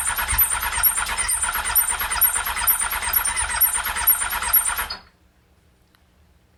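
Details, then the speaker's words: Triumph Daytona 600, sat for years with water in the engine, started by jumping the solenoid: about five seconds of steady, even cranking with no firing. The starter works fine, but the engine is not firing. "Starter works good. Continuously just trying to get this thing to pop and do something."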